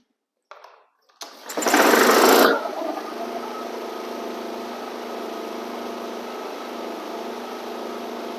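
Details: Flood-damaged Honda HRX lawn mower after cleaning, parts replacement and carb cleaner, blades off: rope pull, loud catch, then a steady even running drone with no misses or sputter; runs fine.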